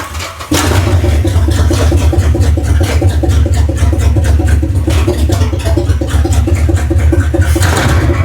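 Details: Dodge 400 big-block V8 in a 1970 W200 Power Wagon, first start after head gaskets and cleaning out stuck valves and mice, on old oil: deep, steady rumble with an even beat, no tapping or misfire standing out; running healthy.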